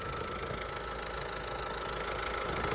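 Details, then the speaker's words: Salvage diesel van that was completely dead, jump-started, with an engine fault warning in the cab: a steady diesel idle with a light, fast metallic rattle, otherwise ticking over quite nicely. Rattle at idle, cause suspected, not confirmed. "That's rattling. That's obviously that's what that's rattling there. But apart from that, it's actually ticking over quite nicely."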